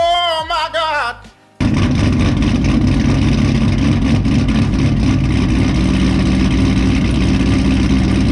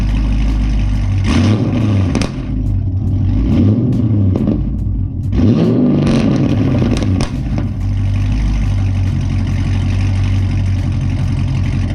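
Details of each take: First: Pontiac G8 GT with longtube headers, straight pipe exhaust, Vararam intake and tune, just after start-up, spitting smoke: loud, lumpy, uneven chopping idle that sounds rich and misfiring; rough idle, dirty MAF sensor blamed. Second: Modified Pontiac G8 GT (long-tube headers, straight pipe, Vararam intake, tuned), cold start after sitting a couple hours with intake reinstalled: settles into steady idle with quick rev blips, no knock or stumble; normal, previously acted up lumpy on cold starts, dirty MAF suspected.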